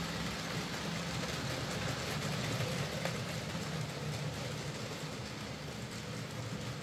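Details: Hornby J15 model loco, slow and noisy since new about two years ago; after swapping the motor and regreasing the worm gear, soft even hum with light regular rail clicks, no rough or grinding patches: quieter, smoother normal running.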